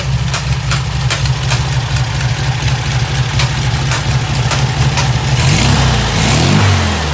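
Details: 1972 VW Super Beetle 1600 air-cooled flat-four, newly built engine, after mixture screw and idle speed adjustment: steady low loping idle, settled and even, then a light blip; normal idle.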